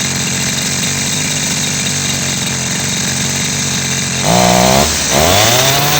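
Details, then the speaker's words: Petrol chainsaw that started fine but died when revved, after its faulty carburetor was replaced with a new one: steady rough buzz at idle, then revs cleanly and holds full throttle without bogging or dying; normal running. "Check कर अभी इसको start करते हैं, check करते हैं इसको। ये भी चल गया।"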